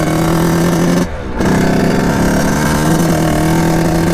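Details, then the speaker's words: 1989 Kawasaki KX80 big-bore 110 two-stroke on test ride through gears: flat steady drone with brief dip, bogs and won't rev out, like choke on; owner suspects carburetor, maybe pilot jet. "I think something in the carburetor gotta be maybe the pilot plug so just got back on the test run obviously we're having some problems I'm thinking it almost sounds like the choke is on when I'm riding it which is not good"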